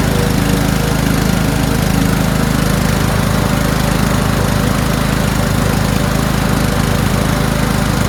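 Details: Toro Wheelhorse 1438HXL with repowered 17.5 hp engine, after mower deck belt and pulley replacement: steady even single-cylinder beat at constant speed, no knocks, slips or belt squeal; everything works. Normal running.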